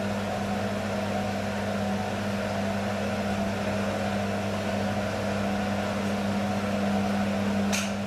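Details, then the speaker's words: Beko washing machine, full load of dark clothes, Ariel detergent, rinse/spin: steady heavy drone with low hum, never gains speed; motor laboring against suds lock. "whoo you can hear the sound of the motor it's not good it's not good the sound of the motor"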